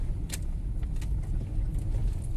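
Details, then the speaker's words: Fiat Strada after a new TRW steering box and tie-rod end, driving on cobblestones up and downhill; only even tyre rumble and trim noise, no front-end clunks. Normal steering. "Tô descendo agora está subindo olha o barulho de acabamento do carro tranquilo"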